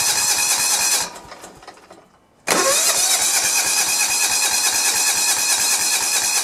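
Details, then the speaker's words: John Deere 170 with a Kawasaki FC420V, aftermarket coil reading 4.3 kΩ, weak or no spark: starter turns over in a steady chug of about three beats per second without firing despite fuel smell. New ignition parts later gave a strong spark. "didn't sound like that's doing anything at all uh and i can smell the gas i know it's getting gas now"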